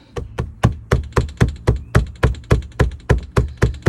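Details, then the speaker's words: Ford Mach-E, after high-voltage battery junction box repair: sharp, even taps three to four per second as a wheel well liner with a broken fastener flaps against nothing; loose liner tapping. "what I thought it was was this bolt right here holding the wheel liner in but it's actually this one right here that's just flapping up against nothing"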